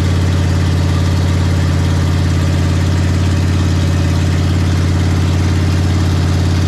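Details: Big block Ford 460 V8 in a 1956 F-100 on open headers with no mufflers, during cam break-in; loud, steady, deep rumble at a constant fast idle, even, no knocks or misses; normal running.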